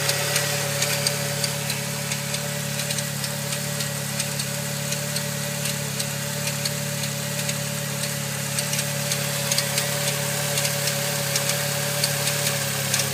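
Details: Saab 9-3 engine idling smoothly while a sharp, light clicking ticks over it about three to four times a second; the cause is unknown.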